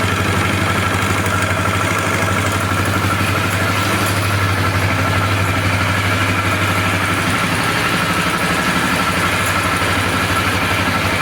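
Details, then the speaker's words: Flood-damaged Polaris 325 ATV single-cylinder on first run after rebuild, oil on the piston, possible water still in the bottom end: steady idle with a loose metallic buzz on every firing pulse; rattle from the loose carburetor bracket. "That rattling sound is just this this bracket that holds the carburetor."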